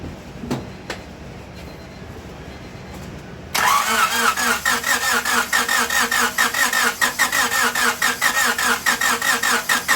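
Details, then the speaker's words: 1998 Honda Civic with a long-sitting replacement engine swapped in after a rod bearing failure: quiet cranking, then it catches about three seconds in and settles into an even fast idle with a light whistle; it runs fine and oil is circulating. "what do you know damn thing run sound okay oil is getting thrown around"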